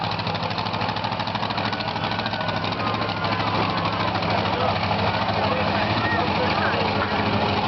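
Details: Grave Digger monster truck V8 backing to the pits after freestyle, driving past the camera: loud rumble with an uneven, lumpy beat and stumbles; engine ran rough all day, misfire worse after freestyle.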